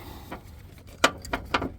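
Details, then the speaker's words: 2021 Acura RDX that won't start, with all dash lights on and the serpentine belt off: dry, irregular clicks every quarter to half second as the alternator pulley is turned by hand; bad alternator pulley. "Y'all hear that noise? That is the pulley to the alternator."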